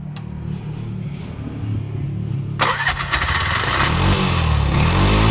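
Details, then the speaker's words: Bajaj BS6 2023 single-plug auto-rickshaw, 10 months old, with starting trouble on CNG: after correcting an over-tight setting it cranks, catches after about 2.5 seconds and settles into a steady, fairly quiet idle with no valve clatter; normal start and idle. "Setting ಮಾಡ್ತೀನಿ. ಇವಾಗ correct ಇದೆ. ಸ್ವಲ್ಪ silent ಆಗ್ತಾಯಿದೆ sound."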